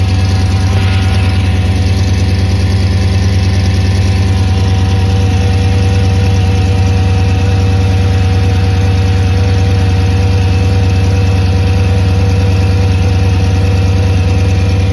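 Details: Audi S8 D3 5.2 V10 at cold-start idle with a light, regular tick under the deep exhaust note that goes away once warm; an exhaust leak is suspected.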